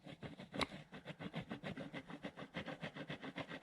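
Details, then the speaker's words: Husqvarna 61/272 chainsaw during teardown, crankshaft turned slowly by hand after flywheel removal: gritty, ratcheting rasp pulsing about six times a second from a rough crankshaft bearing. "That bearing's definitely getting rough."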